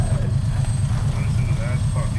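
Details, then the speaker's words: 1951 Kaiser Special, just started and warming; the old engine settles into a steady, even low idle with a smooth regular beat and no misses or knocks, running surprisingly well. "U so far so good. running surprisingly well."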